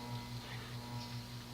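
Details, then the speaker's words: 1983 Hunter Reverse-aire 38" ceiling fan model 22290, 2-speed oil-bath shaded-pole motor run dry without oil, on low: steady hum throbbing several times a second, cyclic flux buzz from shaft wear letting rotor sit off-center in stator. "that's that's the sound of magnetic flux and the motors they meaning basically what this is is that the rotor is off balance is off kilter it's not quite aligned properly with the rotor or with the stator"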